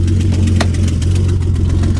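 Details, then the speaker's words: BMW 325xi E46 salvage-auction car with questionable battery, just started, exhaust with resonators but no catalytic converters or muffler: lumpy, uneven low idle with slight stumble; running rough, not happy, cause unclear. "let's see if she could fire up well she's not really not happy she's not happy"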